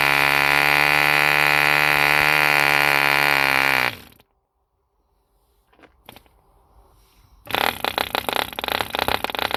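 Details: 1948 E.D. Mark II Competition Special 2cc long-stroke model diesel, first start after rebuild from two incomplete engines: high steady buzzing drone at even speed about four seconds before cutting out; healthy running.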